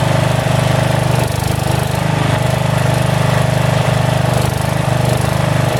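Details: About 35-year-old log splitter refreshed with new pump, valve, filter, rebuilt cylinder and hoses, swapped-in 12HP single-cylinder engine: steady thump surging and sagging slightly every second; governor hunts a little, owner suspects carburetor needs adjustment.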